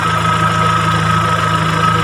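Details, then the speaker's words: Kia Sephia (Timor DOHC) fuel-injected four-cylinder during CO potentiometer adjustment for fuel economy, turned from the lean point up until the engine sounds normal; smooth, even idle with a steady hum and no hunting or stumbling. "Nah, setelah ini kita tinggal menaikkan hanya sampai suara mesin terdengar normal."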